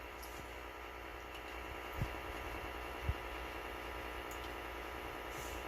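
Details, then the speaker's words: Whirlpool washer, no agitation: low steady electrical hum and buzzing with faint clicks when lid is shut, motor not moving; bad lid safety switch. "but you can hear her humming knocking so shut the lid no let's see I heard it click"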